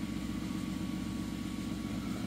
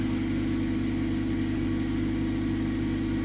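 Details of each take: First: 2011 Mazda 3 2.0 automatic with failing transmission control module, AT and check engine lights on: steady idle hum with slightly uneven rev level, no knocks; faulty TCM changing idle speed. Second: 2011 Mazda 3 2.0 L with hard-shifting automatic, running after DIY repair of the transmission control module circuit board: even steady idle with smooth low hum, no knocks or slips; engine and transmission sound healthy.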